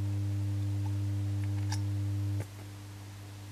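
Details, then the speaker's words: Shortwave receiver converted from slug-tuned to a 2–8 MHz general-coverage set: steady low droning 50 Hz hum with buzzy overtones drops sharply when a 2200 µF capacitor is switched in at the regulator output; owner suspects an internal ground loop. "it's very very substantially limited but i think that is not the say the issue here i think there is a kind of ground loop somewhere inside this radio receiver"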